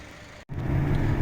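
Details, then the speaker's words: Black GAZelle on highway test drive, fifth gear then fourth: steady low driveline drone, rear axle no longer whines or hums as before; locker confirmed working, problem solved. "Ну что, тест-драйв, вот он. Всё чётко, мост не воет, не гудит, всё отлично."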